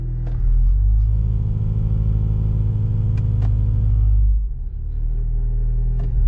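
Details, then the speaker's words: Honda Civic idling on a 40-degree morning, radio off: deep throbbing rumble with steering wheel vibration, worst in reverse, also in neutral, easing off in drive; engine mounts suspected worn, as they are known to fail. "So I did a quick Google search and they said these engine mounts are notorious for going bad."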